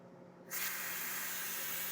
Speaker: okay a whole bunch of steam starts come out see not the best idea because then you get all this juice all over it all right so that would be quick pressure release and it's a little finicky and you just go little by little